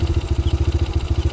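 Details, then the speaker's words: Honda Grand Max motorcycle after replacing the regulator, camshaft and rocker arms: even idle, now smoother, with a light, quick ticking rattle on top; slightly worn cam chain left unreplaced by the owner. "sayang masih ada sedikit suara di bagian rantai keteng ya karena yang punyanya belum mau melakukan pergantian rantai keteng ya"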